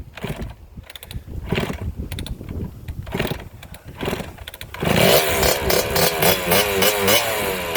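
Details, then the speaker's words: 1987 Kawasaki KX80 first start after stator replacement, not run in years: a few kicks, then a crisp two-stroke ring-ding rising cleanly on the throttle; healthy running. "here okay finally got the KX80 running there took uh four or five kicks"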